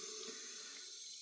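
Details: Running toilet: a steady soft hiss of water flowing nonstop with no shutoff. The fill valve is leaking by and the tank keeps refilling.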